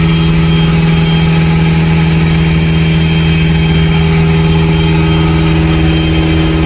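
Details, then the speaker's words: Evo 8 turbo engine after a fuel pressure fix for power loss, started with no throttle: fires right up and settles to a steady, even idle, constant low drone, no misses, surges or knocks; normal healthy idle. "No foot on the on the gas pedal. Fires right up. Now let's see where it settles at. And look at that. That's perfect."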